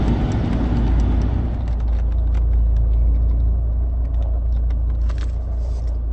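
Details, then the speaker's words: Mercedes W203, right front strut top mount; recorded inside near passenger door speaker on rough road, irregular moderate metallic knocks over road rumble as the wheel bounces, like something loose in the suspension. "стук как будто на подвеске что-то открученная металлический стук он не сильно звонкие не сильно глухой такой"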